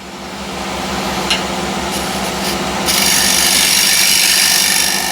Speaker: And that's really nice and clean. It gives a tiny bit of a shine as well.